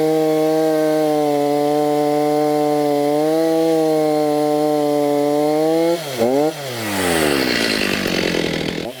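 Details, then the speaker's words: STIHL MS290 chainsaw after repair, with fresh bar oil and new Oregon bar, test cutting: steady high buzz that dips and recovers as it bites into wood; runs and cuts properly, slight smoke expected to clear. "it's all good now it will smoke a little bit like this guys after you use it but that will eventually go away"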